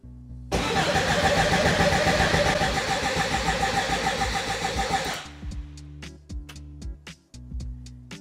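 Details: Car with major electrical problems, fuel pump running, alternator/charging light on: fast, even cranking churns about five seconds but the engine never catches, then only clicks; no spark, so it won't fire.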